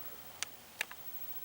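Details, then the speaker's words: Sanyo TV at switch-on: two sharp crackling pops and a faint third within half a second in a quiet room; owner suspects high-voltage arcing, possibly from recent humidity, cause unconfirmed. "popping noise that i've been hearing it sounds like might be high voltage arc but it i tell you it has been seemingly very humid here lately so that might be what's causing that"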